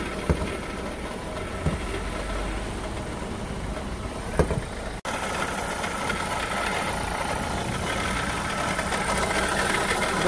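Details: Renault Clio 3 1.5 dCi diesel, 85 hp, about 300,000 km, idling under the bonnet: rough, gritty hum with faint whirring over the clatter, from a worn alternator bearing.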